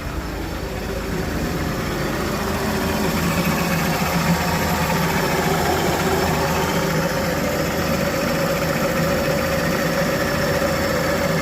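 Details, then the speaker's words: Warm idle of a long-stood engine on its second start, running lean after burning off; smooth, even idle with a steady low drone, no knocks or stumbles. Healthy warm idle, though it cuts out on tick-over because there is no idle control valve. "Let all that burn off. Still running lean, which is good."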